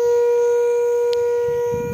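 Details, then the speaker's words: Old Caterpillar unit, overheated, at the radiator blowing hot air: steady horn-like hoot like a ship's horn, holding one mid pitch as pressure escapes; overheating radiator whistle that fades as it cools. "m kit dito bumubuga ng mainit na hangin m kakit ito yung parang bumubusina sa radiator"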